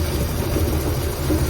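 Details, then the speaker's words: Ford Galaxie V8 brought back after sitting, with points cleaned and fuel supply uncertain: low steady rumble holding an even idle without misfire, though it cut out a few times earlier. Normal running. "so that's about how long it takes to get an engine running in the real world and it really doesn't sound too bad now we cut a few times here and there"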